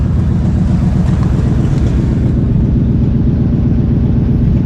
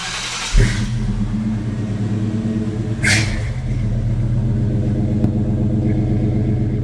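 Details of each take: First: Grandpa's old truck, 241,000 miles, with rotted-out mufflers and tailpipe, idling after start: loud raw uneven low rumble pulsing about four times a second, unmuffled blat; exhaust leaks heard, before new exhaust installed. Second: Grandpa's old V8 truck at startup after new exhaust and mufflers replaced rotted ones; deep even rumble, noise only out the tailpipe, though passenger-side donut gaskets leak a little; normal exhaust sound.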